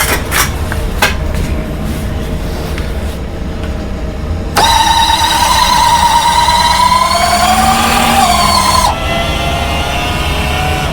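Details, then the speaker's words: B-29 model's right main landing gear retract, after repair and lube; it used to make a loud noise when starting to move, suspected from a set screw twisting on the shaft. Now a smooth rising electric whine through its travel with no bang; retract working normally. "So that noise is gone. The left side's working, the right side's working without any funky racket."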